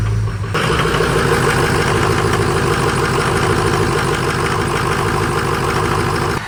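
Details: Ford Power Stroke diesel after a new exhaust back pressure sensor was fitted and the air filter cleaned: fires up and settles into a steady, even clattering idle with no distinct knock or miss.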